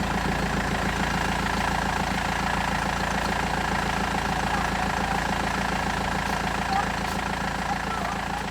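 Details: BMW E91 320d diesel idling after owner replaced failed turbo and crankshaft pulley; steady, even diesel clatter with no rumble or uneven beat, running a lot better — normal idle.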